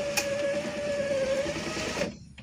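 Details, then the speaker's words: Car power window motor after repair of skipping gear in motor: steady smooth whine for two seconds lowering in auto mode, stopping cleanly at the bottom; normal operation. "Ini akhirnya Kalau ini sudah normal ya kita ulangi lagi ke bawah Auto"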